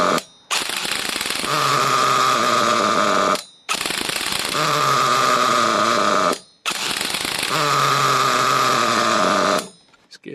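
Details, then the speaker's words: Nitro RC Trophy buggy that the previous owner couldn't get running: three short high-pitched screaming runs of about three seconds each that die abruptly; lean, owner plans to turn the low-speed needle out about 3/4 turn. "Right, the low speed needle seems Well, we just turn that low speed needle out just a little little bit more. Probably about 3/4 of a turn."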